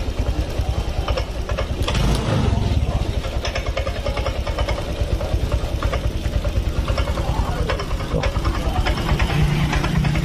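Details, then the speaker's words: Honda Vario Techno 125 injection scooter with poor response, won't hold idle and stalls; engine putters unevenly, sagging and stumbling toward a stall; low fuel pump pressure is starving it. "Kita perbaiki di motor ini suka mati-matian. Tuh. Tidak respon, nahan, loyo, telat, mati. Biasanya mati nih."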